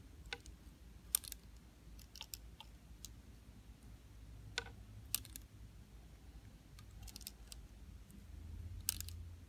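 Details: DJI Phantom 4 drone camera gimbal: sharp, irregular dry clicks over a low steady hum every time the gimbal tilts downward.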